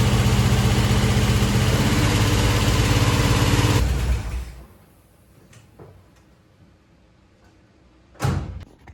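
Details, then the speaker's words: Chevy Nova rebuilt engine just after start-up: even idle with a quick, regular top-end tick about four per second until shutdown; a loose rocker arm, gone after tightening and readjusting. "okay so I did hear a little bit of a noise when I fired this thing up and I found it that rocker's loose so I want to tighten that up readjust it and should be good to go I hope"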